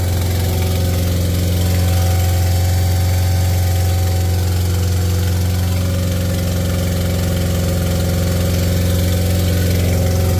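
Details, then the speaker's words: Acura Integra DA9 turbo project at start-up: loud raised idle with a steady low drone and no hunting; idling high, suspected air leak at a ripped throttle body gasket. "Still idling kind of high."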